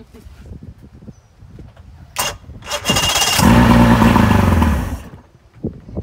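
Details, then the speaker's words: 2005 Mercury 115 two-stroke outboard on a 17ft Mako cranks, then runs raggedly for a few seconds on starting fluid and dies; spark is confirmed. "There we go. Okay, so we know it does run."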